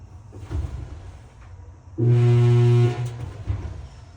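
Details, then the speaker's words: GE dryer: loud, steady low electrical hum for about a second as the motor is energized but stuck and won't turn; either something caught in the blower wheel or a bad motor. "That's the sound of a motor that is stuck. Something is either in the blower wheel, or you could have a bad motor."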